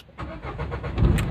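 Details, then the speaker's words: Renault Duster 110 diesel with an intermittent no-start where engine check lights sometimes fail to show: brief crank, then it catches cleanly and settles into a steady low rumble; normal start this time. "है गाड़ी start हो गया engine check light ए जाएगा तो possible कैसे की आपका गाड़ी स्टार्ट हो ही जाएगा"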